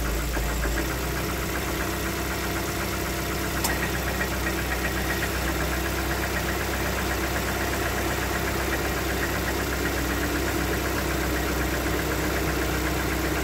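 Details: Lada Xray 1.6 VAZ 21129 petrol engine idling: fairly regular light tapping about four per second over the hum; engine knock present, owner asks how dangerous, cause unclear.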